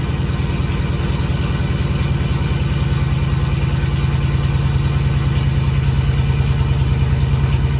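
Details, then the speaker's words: Vehicle with new long-tube headers and 3-inch pipe ending in a turn-down, not connected to the rest of the exhaust, first start-up: very loud raw low pulsing about three beats a second, unmuffled blatting; loud open exhaust. "kind of as expected it sounds like absolute butt cheeks but we're hopefully going to be fixing that today"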